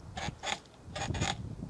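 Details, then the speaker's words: Meepo V3 longboard trucks after about 20 km of riding: four sharp, high squeaks in two quick pairs as the board rocks, from dry bushings and pivot rubbing; fixed by filling with hard soap or skateboard wax. "so here I have my maple board we three and it's been squeaking for a while so we'll fix this"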